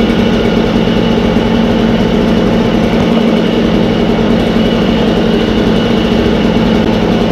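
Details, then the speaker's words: Echo 403T two-stroke with a new genuine Zama carburetor: rough low idle with uneven burble just off stalling as the low idle screw is turned down; about where it would shut off, then a quarter turn. "hear now it went lower i'm playing with a lower adjustment that's about right where it would shut off"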